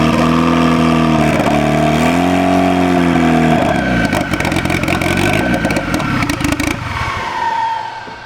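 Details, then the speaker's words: SR20-swapped Nissan 240SX first start on a brand new DeatschWerks 400 fuel pump with a freshly wired hardwire kit: revs rise and fall, then an uneven clattery hunting, stumbling run; really low fuel pressure that builds slowly. "Low fuel pressure. Really low. But it runs. That's odd. That's odd. The pump is on. Well, at least it's running off the injectors now. But it's not happy."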